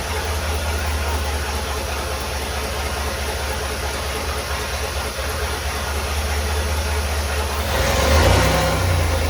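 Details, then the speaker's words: Chevy 4.3L V6 swapped into a Willys CJ5 Jeep, first start after the swap, timing only roughly adjusted without a timing light; low throbbing uneven idle that lifts as throttle opens, rough running. "all right well it worked it runs that's pretty exciting I played with the timing just a little bit there to try to make it run a little better"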